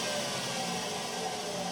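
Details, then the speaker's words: Indesit washing machine after its non-serviceable tank was cut open, bearings and seal replaced and resealed: steady even whir at the maximum 1000 rpm spin, with no rumble, grinding, knocking or vibration. "เครื่องซักผ้าทำงานเงียบไม่มีเสียงหรือการสั่นสะเทือนใดๆผมเปิดเครื่องที่ความเร็วสูงสุด1,000"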